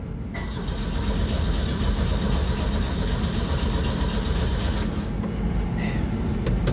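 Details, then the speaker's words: 1984 Pontiac Fiero in a cold garage (about 18°F wind chill), battery on a charger. Starter churns steadily for seconds without catching: cranks, no start. Two spark plugs were pulled; owner wonders if something was left unplugged. "Did I leave something unplugged? Now let's crank this to full."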